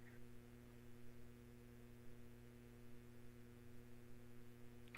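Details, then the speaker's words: Laptop-based live show audio setup: a constant low buzzing hum with no change in pitch or level, heard through headphones; an unexplained electrical feedback noise. "so something electrical or something is happening here because no matter what I do I'm getting some kind of crazy weird electrical feedback noise through my headphones which is really strange"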